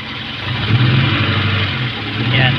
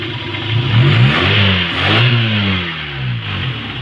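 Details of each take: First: Kia Pride idling with a lumpy, uneven beat as one cylinder drops out; all high-tension leads have spark, a faulty spark plug found as the suspected culprit. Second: Kia Pride after misfire traced to high tension wire (number four wire carboned with a gap, due for replacement), cleaned with spark plug: engine now revs up and settles cleanly and smoothly, no stumble or miss.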